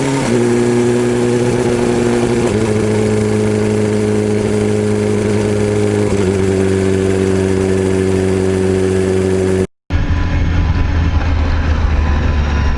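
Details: BMW S1000RR engine running as the revs step, with a light rattle over it. A worn camshaft leaves a gap between the rocker arm and cam, causing the ticking, and the cam needs replacing.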